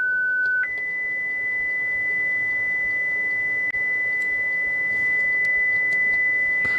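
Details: Hacker RP25 Sovereign 2 radio speaker on the bench driven by a signal generator at about 1–2 kHz: a pure steady whistle jumping to a higher pitch, clean with no buzz or scratch; the speaker plays properly.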